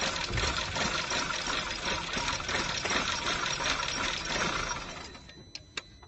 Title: Engine #2 - Cold start misfire?